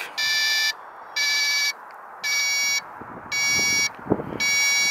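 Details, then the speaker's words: Digital load tester on a 12 V battery rated 850 CCA: five evenly spaced beeps as it measures only 532 CCA, 12.09 V, flagging the battery weak under load after an earlier bad reading. "now it sounds like it's dying now this is good 12 point zero nine but see it measured 532 cold cranking amps when it's rated for 850 during that quick test"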